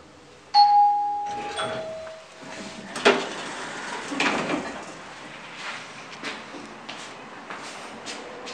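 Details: Nippon Elevator Manufacturing (Elemic) elevator door buzzer, apparently deteriorated: short buzzer tone under a second, slightly rough, uneven and strained, then door and room clatter.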